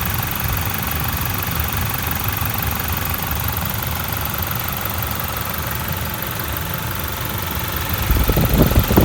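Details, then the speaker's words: Toyota 1GD diesel, recently serviced and clean: steady, even diesel clatter at a settled idle with no misses or knocks; a normal, quiet, healthy engine. "that's what a 1gd seems like for 20000 pays on it it's just been serviced it's clean that's one it pretty quiet"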